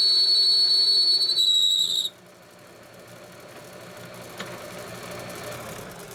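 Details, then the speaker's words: Homemade lathe after new headstock bearings and spindle, turning round stock: piercing high steady ring during the cut for about two seconds, then quiet; tool chatter, though face cuts run without ringing and finish improved. "bit of ringing with that. That's unfortunate."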